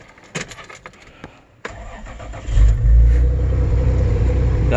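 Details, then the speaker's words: 1992 Toyota 4Runner 3.0 V6, warm, after head gasket job and EGR delete, still running poorly; cause unknown. Cranks, catches and settles into a fast, steady high idle; owner hears stumbling through the exhaust. "bit of a high idle it'll calm down once it uh runs for a minute uh it's pretty warmed up right now actually"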